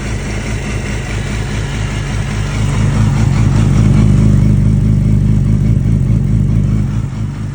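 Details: Yamaha R6 RJ11 motorcycle idles then revs and settles, with an irregular low clatter mixed into the exhaust note; weird abnormal noise, cause unknown.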